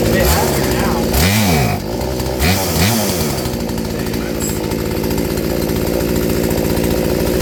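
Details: Poulan 3416 chainsaw with new Hipa C1M-W26 carburetor, mixture screw turned out about half turn: a few sharp revs then steady even high drone with no stumbling, though it later failed to return to idle.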